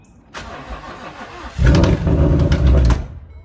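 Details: S550 Mustang GT V8 with a hole blown in its block: the starter churns, then a rough low rumble for about a second before it dies. The owner thinks it failed when it revved all the way up without shifting, and repeated start attempts made it worse.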